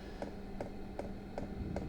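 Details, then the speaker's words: Portable Vevor diesel heater on its very first start, set to 80, no fuel yet in the lines: sharp, even ticks about 2.5 per second over a low fan hum as the pump primes and fills the empty lines; normal priming before it fires. "It'll take a little while to prime because it's never been fired up before. So, there's no fuel in the in the lines. It's going to have to fill the lines."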